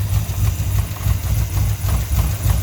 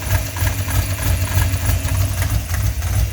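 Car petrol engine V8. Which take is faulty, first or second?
second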